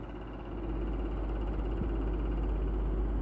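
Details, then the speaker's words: Stadler Form Oskar humidifier, two weeks old, cover off, at faster fan speed: steady airy rush with faint uneven throb; fan visibly wobbles, noise suspected abnormal, warranty claim considered. "i will take it to the warrant because i think this noise is not normal"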